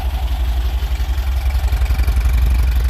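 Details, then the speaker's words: Porsche 914, idle about 800 rpm, with lots of compression noted. Steady, even low burble with no misses or knocks; clean, healthy idle. "Very nice. Got a lot of compression. Very, very nice."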